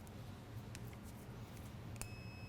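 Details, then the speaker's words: BMW Airhead diode board tested with a digital multimeter on continuity: quiet, then a sharp, steady high-pitched beep holds, showing the diode conducts in this direction. "hear the beeping when it makes continuity. Okay, so diodes are essentially like electronic one-way valves, I guess, and they let current flow through one way and not the other."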